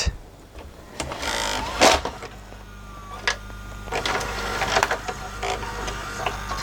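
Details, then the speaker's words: LG VCR after repair of the broken loading mechanism and gear alignment, during play, stop and eject: a steady small-motor whir with a few sharp clicks as the gears engage. The tape loads and ejects smoothly. "all right hit play I think goodness it's working there we go hit stop inject"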